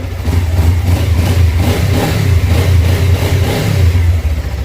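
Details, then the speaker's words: Suzuki GSX 250R fuel-injected, after FI light repair, running with little fuel in tank: single engine blips throttle, revs rise and fall cleanly with steady exhaust note, no stalling; normal revving, no fuel leaks seen. "sounds good sounds good going to let it run for a minute make sure I don't see any dripping down from the bike"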